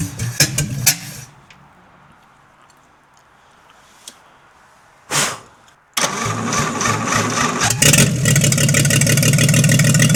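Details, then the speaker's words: Stock engine of a 1952 International L130 (pickup turned snowplow doodlebug) fires after sitting for years, once the stuck-open throttle was fixed and the points sanded; it runs a loud, steady, even open-pipe idle, health not yet compression-tested. "Woohoo! I am psyched to hear this engine run in who knows how long. and actually idling nonetheless."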